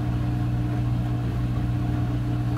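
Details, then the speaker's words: Front-load washing machine after door lock replacement fixed its no-spin fault: steady smooth low hum, drum turning evenly up to full spin speed, no banging or scraping; normal spin cycle. "now it has a healthy door lock so it knows it's locked and now it's picking up some good speed takes a little bit of time for to get to full speed here's full speed back to normal functioning"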